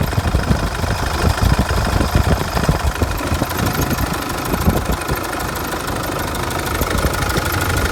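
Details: 2005 CRD diesel after harmonic balancer replacement: idles with an uneven, irregular knocking over the low rumble; source not pinned down; engine knocking at idle.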